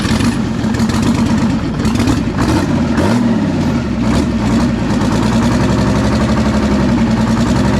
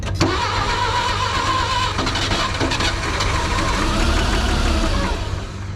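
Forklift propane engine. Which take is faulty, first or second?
second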